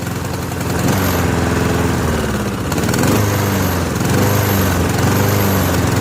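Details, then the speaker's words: Free, dirty Honda push mower, just started on choke for the first time: the small single-cylinder idle rises and dips every second or so, a mild idle surge judged not worth much worry, cause not found. "Surges a little. Doesn't seem like it surges enough to be too worried about."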